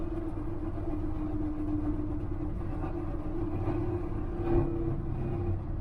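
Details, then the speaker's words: 1981 Chevy Silverado test drive after new tires, tie rod ends, U-joint caps, plugs and exhaust welding: steady buzzing drone over road rumble; something vibrating, owner suspects loose exhaust, says not brakes or drivetrain. "I don't know what that noise is, guys. Hear it? Something's vibrating. We gotta make it back. Put it in neutral. Almost sounds like the exhaust, but I welded that thing up there good."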